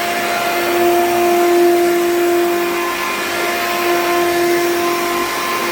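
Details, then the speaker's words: Hoover U3109 5.5 A upright vacuum, dirty: steady high motor whine over a strong airflow roar, far louder than it should be, cause unclear; it smells burnt afterwards. "This thing is very heavy. And it's very loud, which is unfortunate, because this is almost a nice machine, but it's very loud."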